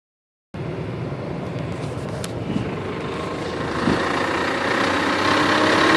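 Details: VW Jetta VR6 petrol engine runs with a dull, fairly regular knock, roughly three beats a second, under a rough running noise; cause unknown.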